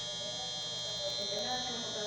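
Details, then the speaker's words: Refrigerator (110 V, 119 V confirmed reaching relay/protector) that doesn't cool: compressor tries to start with harsh, steady loud buzz then cuts out; seized compressor motor, not relay or protector; fix is replacing the compressor. "quando é compressor travado que é o motor faz esse barulho feio a solução é só trocar o motor"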